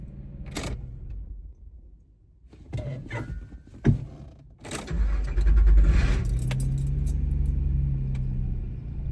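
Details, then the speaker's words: Car test-driven after the distributor cap failed and was repaired three times, now switched off and restarted to check it. Cranks, catches quickly and holds a steady, even low idle. Normal start and idle. "actually you know what I'm going to I'm going to turn it off and then turn it back on and see if anything happens"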